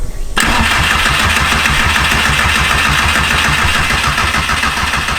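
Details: 1.8T engine from a Mk4 GTI swapped into a Mk2 Golf, first start attempt after a four-year project: the starter cranks at an even three beats a second but it never catches; no spark found, Volkswagen immobilizer suspected but not confirmed.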